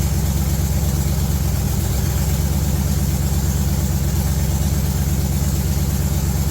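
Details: LS V8 in a G-body El Camino on a budget Amazon harness, after tweaking the throttle body: deep, steady idle with an even lope that holds speed without hunting; runs normally.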